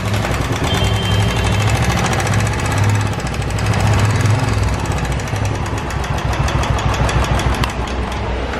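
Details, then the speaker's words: Royal Enfield BS4 single-cylinder at idle. A quick, steady metallic ticking rides over the thumping idle; the clip attributes it to hydraulic tappets with dirty oil: tappet tick. "भी engine में कोई बड़ा बदलाव नहीं हुआ है तो देखते हैं कि आखिर यह टिक नोटिस आती कहां से और कैसे इस कम छोड़ो कर सकते हैं"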